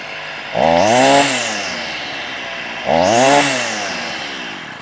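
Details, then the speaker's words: Stihl FS38 two-stroke strimmer after carb tuning (idle reset after prior tampering): blips up twice and drops straight back to steady, even idle; responsive, head stopped at idle, trimmer now working as it should. "responsive but head is near enough not touching not spinning so there you go it might pick up just ever so slow L on the um on the idle that's stopped lovely"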